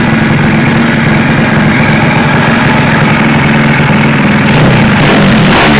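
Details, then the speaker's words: Takegawa Plus-R 4SM 59mm small single motorcycle engine build: revs up crisply, strong, fast and high, then drops back to a steady, even idle with no knocks or rattles; healthy engine. "Ανεβάζει πάρα πολύ ωραία. Λοιπόν, ωραία, δυνατά, γρήγορα και ψηλά."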